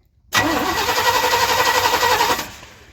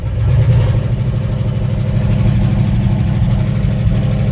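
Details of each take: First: One-ton truck that sat in a field for 20 years, after a new coil and cleaned battery terminal: about two seconds of steady starter cranking at roughly four turns a second, but the engine never catches; cranks and won't start, spark uncertain. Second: One-ton truck sitting 20 years in a field, first start, sparking seen near clutch linkage: old V8 catches and settles into steady even low rumble, no knocks or misses; normal running.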